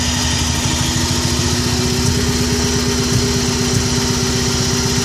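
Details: Subaru Impreza running with an uneven, stumbling low beat instead of a smooth note, a misfire; owner suspects coils or the MAF sensor, unconfirmed.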